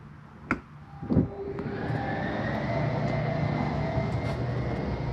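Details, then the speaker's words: 2018 Superlite 29KSWS RV, slide number 1 being opened: a couple of clicks, then a steady electric motor hum with a smooth gear whine as the slide moves out evenly; normal slide-out operation. "Again, noise means we're all the way out. Go ahead and open up slide number 1."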